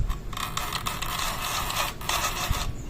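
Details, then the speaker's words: Brand-new Honda Click version 3, CVT noisy since 1,000 km, cover open: front pulley turned by hand gives dry popcorn-like crackling and scraping as the belt pops against the pulley face. "Unarin niyo po yan mga parekoy na akala mo may pumuputok na popcorn pag iniikot po natin itong ating plant puly."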